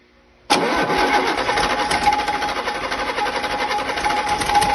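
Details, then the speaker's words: Rebuilt diesel engine's first start on 24 V jump leads with oil pressure gauge fitted: quick catch, then steady even idle with no knocks or misses; started very easy, no major leaks or bangs, though one injector pipe leaks. "overall, I have to say I am delighted with that. It's started up very easy. And, uh, no major leaks or bangs"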